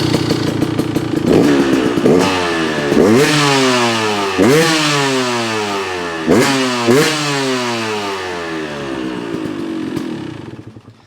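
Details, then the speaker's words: Beta 200RR two-stroke race bike after shortening silencer and fitting Spanish Fly Racing spark arrestor: crisp throttle blips, clean rising and falling pitch, even crackle, settled idle; still quiet but sounds much better, healthy exhaust. "Still plenty quiet, but it sounds way, way, way, way better. And this is a race motorcycle."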